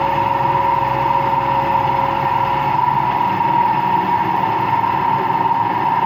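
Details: Empty washing machine on rinse and spin with no clothes: a loud steady roar with a constant whine. No leak was seen, and the owner suspects both the motor bearing and the drum bearing.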